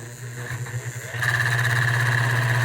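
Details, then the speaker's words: 1930s-40s Robbins & Meyers 16-inch oscillating fan, model B16A6-O, turning after the shaft was pushed in: mains hum jumps louder with a harsh buzz as it comes up to speed. Owner suspects an assembly error or a disintegrated bushing. "So I think it's going to try to burn it up right now. I think there might be an assembly problem. Maybe I didn't assemble it right, or there's some bushing that has long been disintegrated."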